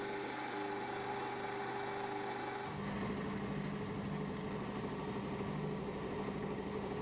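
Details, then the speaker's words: Lathe running while machining a new hydraulic cylinder top end: steady motor hum and low drone with a faint rhythmic thump, a "glun glun" knocking because the drive belt has separated. "I know if you can hear that knocking I'll just start the L and turn it off again you'll hear it g glun glun"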